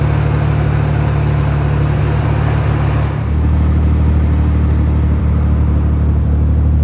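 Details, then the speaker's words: 1990 Nissan 300ZX twin turbo (Z32), first start after new timing belt, not run since 2018, old gas, no catalyst: deep idle with faintly uneven beat; misfire at idle, owner suspects old fuel. "You can hear the miss. The gas is still old in this car, so the mist could be caused by fuel."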